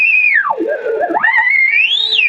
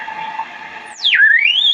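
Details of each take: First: Vintage 1975 RCA WR-50B signal/sweep generator at 5 MHz, radiated via a small wire antenna into a radio: the whistling beat tone sweeps down and warbles into zero beat, matching the reference, confirmed at exactly 5 MHz on a counter. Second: Vintage 1975 RCA WR-50B signal/sweep generator at 5 MHz, signal sent via a wire antenna on a T to a radio: whistle swoops down then climbs as the dial turns, a heterodyne beat squeal from frequency offset, zeroing out at zero beat when frequencies match.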